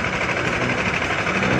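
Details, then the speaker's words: NS200 after fixing repeatedly blowing fuses on key-on: starts and idles steady and even, single-cylinder with light busy clatter on top, no misses or knocks; running normally. "So i-start na natin. So ayan mga boss, umandar na."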